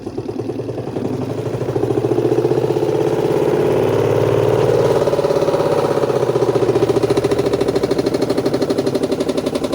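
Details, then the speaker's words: Spin-dryer section of a washing machine makes loud, rapid rhythmic thumping that swells as the drum spins up, audible even outside the house; cloth wound around the lower spin shaft is knocking, and noise persisted after removing the portable cover. "karena ada kain yang terlilit di poros as bawah, tapi ternyata setelah dilepas juga tutup yang portable ini masih bunyi juga, Guys. Dan suaranya itu kencang banget gitu loh. Ini kalau kita dengerin dari luar rumah pun masih kedengaran."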